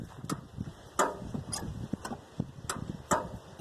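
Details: 1981 Dodge Ramcharger sitting in a field 13-14 years, first start attempt with battery installed: irregular sharp clicks, about one or two a second, no cranking rotation; starter clicking without turning the engine, cause unconfirmed.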